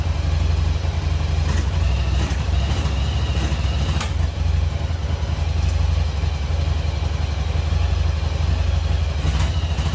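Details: 1996 Yamaha Virago XV750 V-twin, sat about 10 years, after carbs cleaned and a missing jet refitted: loud, steady low-thump idle with no misses or mechanical clatter. Normal idle.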